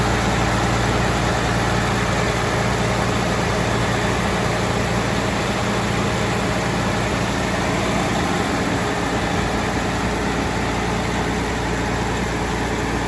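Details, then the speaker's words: 12.7 L Detroit Series 60 diesel with PDI performance parts, first start after rebuild: steady, even low rumble with no knocks, misses or surging. It ran away on first start, possibly from moisture arcing harness pin connectors, now cleaned. Normal idle, great throttle response. "Everything's normal, great throttle response. Everything seems to be well there."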